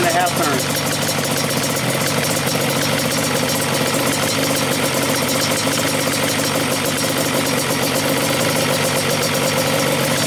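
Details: Stock Yamaha Banshee two-stroke, air mixture screws turned all the way in: very rich, loud crackly idle that clears up as the air screws are opened and mixture leaned.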